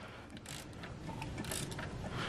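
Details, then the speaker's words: VW Golf Mk5 GTI engine, seized and stripped (oil pump/pickup pipe suspected), turned over by hand. It gives slow ratchety clicks and light gear whir and spins freely with no binding; the chain is intact, the tensioners tight, and the balance shafts turning. "i can spin the engine over nice and easily and i can see that the chain is all intact tensioners nice and tight"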